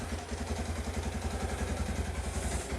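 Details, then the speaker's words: 1986 Kawasaki KLT185 three-wheeler, long-sitting, just revived and restarted after shutdown: steady, even single-cylinder thump at idle with a regular beat, no knocks or misses; healthy idle. "wow man that is crazy let her sit here and idle for a little bit that's just fantastic"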